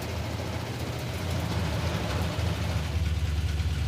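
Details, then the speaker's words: Lumpy V8 idle in the Hemi Gremlin on a road trip, running hot at 210–220; a light, quick lifter tick rides over the rumble, with worry about valvetrain noise. "Yeah. I hear a little bit of a lifter tick. I'm worried about the valve drain noise for sure."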